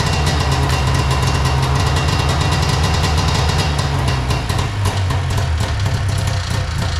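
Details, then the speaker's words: Arctic Cat Puma Deluxe 340 snowmobile, sat about 10 years, after filling carb float bowl; loud steady two-stroke burble running cleanly; owner suspects tank supply problem, pressurizing tank gets fuel to bowl. "up. We got a running sled."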